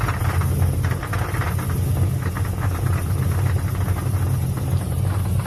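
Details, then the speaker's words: SS V8 at steady idle: quick, even tapping over the rumble; shop found a damaged flexplate, damaged flexplate bolts and rear main seal, to be fixed with upgraded flexplate, ARP bolts and new genuine seal. "I'll put up a video for the broken flex plate sounds like"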